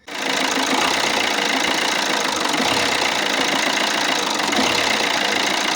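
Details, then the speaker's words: Alfa Romeo Giulietta 1.6 MultiJet2 diesel before repair: ragged, uneven idle stumbling irregularly instead of ticking over smoothly. Bad idle, cause not yet found. "Today we have here a Alfa Romeo Giulietta with a 1.6 MultiJet engine, and the idle is, well, it's really bad."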